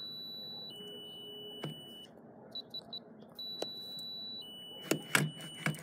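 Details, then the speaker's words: FE595 keypad padlock in vacation mode: short high beeps on each key press, then a quick closing tone sequence, with a green then red light, as the lock rejects every entered code. "it's now it's not gonna go green and red green that red means it's in vacation mode"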